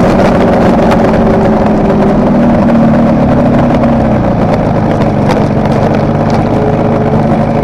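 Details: Kawasaki KR250A two-stroke at idle, recorded while the engine still ran: uneven stuttering beat with an occasional sharp pop; tachometer moves oddly at idle, owner suspects an intermittent misfire on the cylinder tied to its wiring, appearing over the last three runs.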